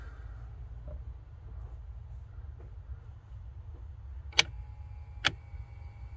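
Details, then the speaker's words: HVAC blowing hot air on one side and cold on the other. The left blend door actuator, removed during calibration, gives a quiet whir, then two sharp cracking snaps as its broken gear jumps teeth. Actuator to be replaced. "ya está tronando es muy feo ese motorcito"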